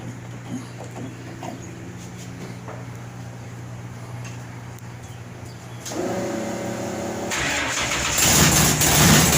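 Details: Newly installed 511 low-deck wedge V8 (440-based block) with MSD ignition and B1-sourced headers, restarted after a beer break: catches and builds into a loping, uneven big-cam chug at idle, running healthy.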